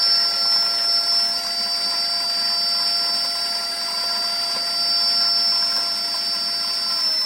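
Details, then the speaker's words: Lexus GS450h drivetrain (inverter, MG1 and MG2) bench-powered via custom controller with added pre-charge relay control: steady high-pitched inverter whine, several thin tones, no rumble; normal. "So the system is all powered up. I don't know if you can hear the inverter whine, high-pitched noise."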